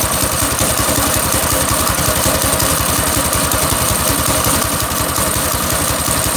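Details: Small single-cylinder go-kart engine started with choke and fuel on: uneven thumping at a low idle with a clattery, loping beat; it runs rough and probably idles too low (suspected).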